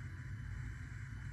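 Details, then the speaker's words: 1974 Mercury Comet with a Procharged 5.0L Coyote, being converted to methanol: after the air was bled, the electric water pump runs as a steady low hum. There is slight felt flow pulsing but no jerky air surging, gurgling or stutter. Normal operation. "it has a little bit of a pulsing not pulsing just you can fill it uh the water flowing through it but it sounds good it's not like it's not Jerky like it had this air in it like it did before"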